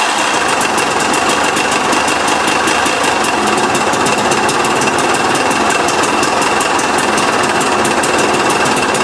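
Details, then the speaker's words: 2008 KTM 250 XC woods bike, just acquired in a trade, running at steady speed: hard, crunchy rapid rattle on every stroke; sounds terrible, internal engine knock, cause unknown. "Oh man, it sounds terrible."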